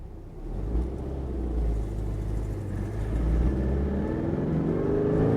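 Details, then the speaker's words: 1967 Porsche 912 on first test drive with newly installed 2.1-liter engine, accelerating; occupants say it has a lot of power and sounds very smooth. Deep even flat-four growl building as revs climb, no knocks or misses: healthy engine. "Man, it really sounds good. It's like so smooth."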